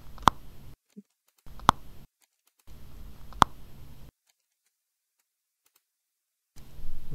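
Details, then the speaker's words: Right earcup of Sony WH-1000XM4 headphones, Bluetooth connected: sharp random clicks with bursts of low white-noise hiss that come and go, dead silence between; started suddenly, gentle tapping on the headphone didn't help. "Bluetooth connected here's the clicking sound so this is this comes and goes"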